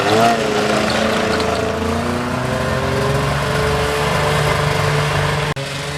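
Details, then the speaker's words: Arctic Cat ZL600 EFI snowmobile two-stroke, tested with the plugs, under throttle: drones with falling, wavering pitch, never climbing cleanly, then dips sharply; still bogging. Owner suspects dry-rotted boots, not confirmed. "don't know if you heard that, but yeah, you hear it bogging now. Definitely a hard no on that. Yeah. Still bogging. Bog City."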